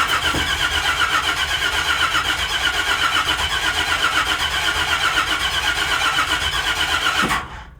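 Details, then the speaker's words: First start attempt of a project truck engine after driveline work: steady starter churn about four turns a second for seven seconds, no firing; distributor power left disconnected, so no spark; likely flooded afterwards. "Did I hook the thing back up? No. Sure would be good if we had power going to the distributor if we were trying to fire it up, huh?"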